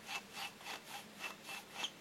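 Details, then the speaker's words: Husqvarna YTH150 lawn tractor mower deck spindle bearings, cleaned and regreased after resisting rotation and making blades drag in grass; dry rhythmic rubbing swish about four times a second, noise expected to lessen as grease spreads. "fait du bruit. Donc l'idée c'est que normalement au bout de quelques temps de fonctionnement le bruit va se réduire."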